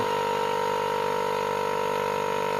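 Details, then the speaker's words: Home-built vacuum pump running: steady, even mid-pitched motor hum with no knocks or rattles; sucks strongly on fingers over the inlet. Normal running. "Je peux vous dire que ça aspire. J'ai les doigts. Écoutez. Ça aspire vraiment bien."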